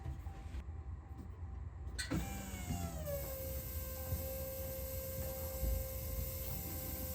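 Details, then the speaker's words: Ram 1500 3.0 EcoDiesel after fuel filter replacement, key-on with engine off to purge air: steady electric hum settling into an even whine, fuel pump priming normally, thought to cut out after about 20 seconds, no leaks. "So you can hear the fuel pump running there."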